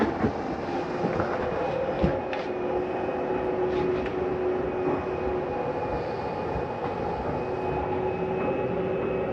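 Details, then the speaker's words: 2020 Coachmen Spirit 2454BH travel trailer slide-out retracting, with vents, doors and drawers closed. Steady electric motor drone with a constant mid-pitched whine and light mechanical clatter: normal slide-out motor operation. "all of our vents are closed and we're gonna hit slide in as the side comes in"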